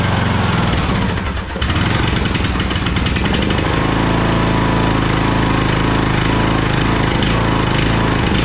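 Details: Craftsman DLT3000 lawn tractor engine, jump-started, oil level full: loud, uneven chugging with lumpy, irregular firing about four beats a second. It is running rough and backfiring through the carb, among its carburettor problems.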